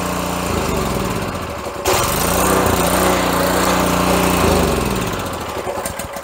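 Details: Pressure washer's Honda engine, which sat unused, before repair: it runs fast at full throttle on full choke, then loses revs and fades as the choke comes off; owner suspects a clogged carburetor jet over a dirty air filter.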